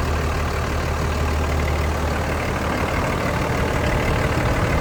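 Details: 2003 Dodge Ram 3500 Laramie crew cab dually diesel 4x4 with original miles, idling with a steady low diesel clatter, even and unbroken with no knocks or misses; a healthy idle.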